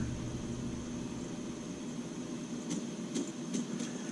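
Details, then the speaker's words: MSR Whisperlite Universal stove burning 190-proof grain alcohol, valve opened further for more output: the steady roar breaks into irregular sharp pops and spits. Spitting means too much fuel; the valve needs turning down. "that it's starting to spit when it spits that's too much you've got to turn it down some"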